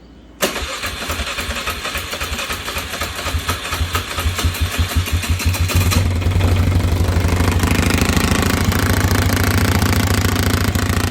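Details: 2005 Polaris Sportsman 500 H.O. quad, single cylinder, starts and idles with a heavy, uneven rattling thump and terrible vibration; it will not go forward or reverse; cause found to be a shredded CVT drive belt slapping in the clutch.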